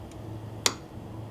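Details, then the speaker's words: 1995 Dodge Cummins 12-valve P-pump that would not run: one crisp click over a quiet hum as the fuel shutoff solenoid pulls up and holds, confirming 12 volts is reaching it. "Hear it? I pulled it up and it's holding up. So there is a 12 volts to it."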